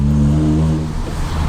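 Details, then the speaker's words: 25-year-old Honda Prelude with a sport exhaust: deep, throaty exhaust drone that swells, dips briefly and swells again with the throttle; a healthy sport exhaust note. "toba sporttoba asta nu pot să mergi acolo normal"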